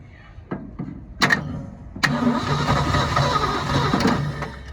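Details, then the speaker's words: 1972 Ford F-350 auction truck, chilly day: rough cranks catch into an uneven, stumbling run that never picks up; no throttle control, owner suspects the carburetor may need rebuilding. "She wants to. Problem is, got no throttle here. May have to rebuild the carburetor, and that's not really what I wanted to do."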